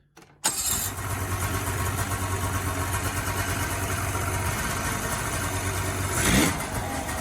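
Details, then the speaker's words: 2003 Ski-Doo 550 fan-cooled Grand Touring snowmobile that wouldn't run and died, after carbs cleaned ultrasonically and blown out: catches immediately and settles into a steady, even two-stroke idle, no stumbles; repaired. "Alright, so there you go. Another sled rescued. All set to go back on the trail."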